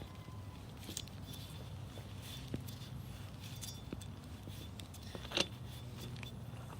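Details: New replacement wheel bearing for a Toyota Tacoma, spun by hand: nearly silent, only light handling clicks and low background hum, unlike the loud whiny old bad bearing.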